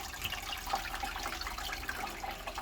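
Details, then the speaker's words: Fluval 407 canister filter just plugged in after priming; even splashing trickle of water from the outlet with no gurgling, air sucking or rattle, running normally. "So straight in, and there we go. Water is now coming out the outlet."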